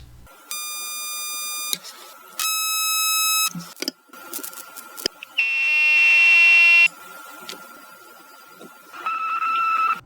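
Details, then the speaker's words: Continuity tester probing coils in an Xbox power supply: steady high buzzing in short bursts, pitch shifting while probing; the tester's poorly designed buzzer resonates with some coils but not others. "Number five, this continuity tester is a terrible design and it resonates with some coils, but not all coils."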